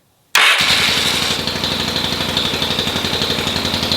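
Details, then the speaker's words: Yamaha XS650 motorcycle, first runs after over a year sitting and fresh service: starts at lower rpm then surges to about 3,000 rpm fast idle with uneven stumbling pulses; misfire, cause not confirmed. "the way it's misfiring and when it first starts up where it starts up on a lower RPM, it seems like it's taking air in all of a sudden and accelerating. However, when you do have it outside and you kind of just let it do its thing, it stays around 3,000 RPM."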